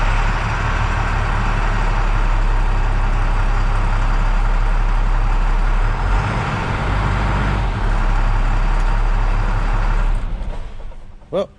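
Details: International 7400 truck with DT466 diesel after clutch switch repair (blown fuse, no-crank fault): steady, even diesel rumble for about ten seconds before shutdown; normal healthy running.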